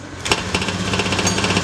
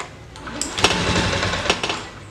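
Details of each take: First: Honda Beat FI injection scooter that was hard to start from weak fuel spray, now fixed: starts then settles into quick, even single-cylinder putter, no misses or stumbles; normal idle, revs freely. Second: Honda Beat FI (fuel-injected scooter, year unknown) hard to start: ragged, sputtering run that surges and sags, won't hold idle and dies when throttled; fault traced to the fuel injector, fuel pump normal.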